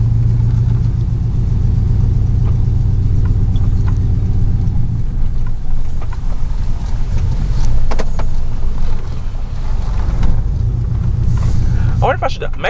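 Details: 2000 Chevy 4.8 V8 truck driving with four coils deliberately unplugged as an experiment; deep, lumpy rumble lacking a V8's smooth beat, half the cylinders dead, truck still has power and climbs.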